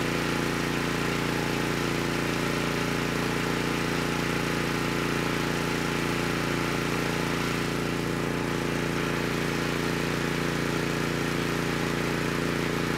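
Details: Honeywell HW5500 5500-watt generator, 337cc engine, after fitting new Hipa carburetor, replacement tank and old gaskets (insulator issue found); evenly paced hum at steady governed speed, no hunting or sputter — normal running.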